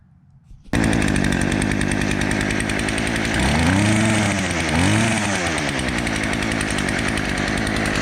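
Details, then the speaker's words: Craftsman weed eater after replacing fuel line and fuel filter: small two-stroke fires right up and holds a steady buzzing run with a brief rev dip and recovery; top cover loose and shaking; running fine. "Well, there you go, all back together and it's running."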